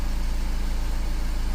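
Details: 2015 Volkswagen Amarok diesel in for hard starting and long cranking after another shop's repairs (P0016): fires in one bounce, no check engine light, no fault codes; steady, even idle with a low regular pulse, no misses or knocks. Normal idle.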